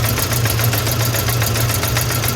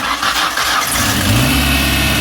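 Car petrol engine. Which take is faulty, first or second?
first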